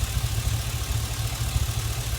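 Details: Chevy Express petrol engine at idle, low and lumpy with an uneven beat and irregular stumbles: misfire; bank 1 catalytic converter was also found clogged.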